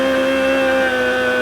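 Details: Very tired Volvo Penta KAD 44 marine diesel after fitting a new starter, running: loud, steady mid-pitched whine over an even diesel run, the normal supercharger sound.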